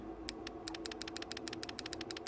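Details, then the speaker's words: Relay from a 2008 Ford Fiesta 1.4 TDCi, gear/cog warning light flashing, bench-tested with 12 volts from a power supply: crisp, dry clicks in a steady quick run; the relay is switching properly. "let's going to apply voltage to this relay just make sure the relay is working you're going to be able to hear the click"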